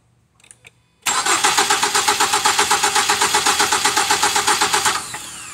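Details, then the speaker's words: 2007 Ford Fusion no-start, repeat crank during a relative compression test: continuous, even cranking with about four equal compression pulses a second and no firing. Earlier cranking stopped intermittently; a timing problem is suspected. "okay so now we get continuous extended cranking as as long as you hold the key this will crank over before it was kind of uh stopping itself every so often and it would just not be continuously cranking"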